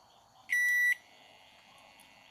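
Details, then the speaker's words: Microwave oven control board, repaired with a replaced display, gives a faint high steady whine around a single clear beep; still present but quieter after a component change. "que você pode perceber está um pouco mais baixo o bpa gente consegue ouvir normal o barulho lá continua solta um pouco mais baixo"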